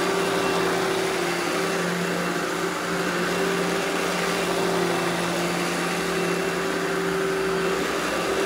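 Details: Eureka The Boss Smart Vac upright vacuum, model 4870 type GZ, bought secondhand, belt replaced; switched on for a demo: steady even motor hum, constant tone, no surging, rattle or belt squeal; normal smooth running.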